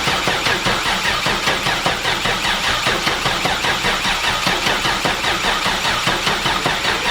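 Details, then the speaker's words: Volvo 240 wagon with swapped Gen 4 LS V8, first start: engine runs with rough rhythmic loping pulse about 2.5 per second and an RPM error; crank sensor wiring fault, pins flipped on 58X crank sensor, needing swap. "It's running, as you can hear, but it's getting an RPM error."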